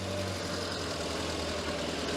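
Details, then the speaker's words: Morris Minor unused for nine years, running with a bit of choke: steady, even low idle with a smooth rumble and no knocks or misses; normal idle. "another bit of Choke beautiful that sounds really really nice"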